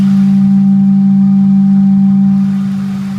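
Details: Ford 4.6 SOHC engine idling with a loud, steady low hum holding one pitch and easing off slightly near the end; source undetermined.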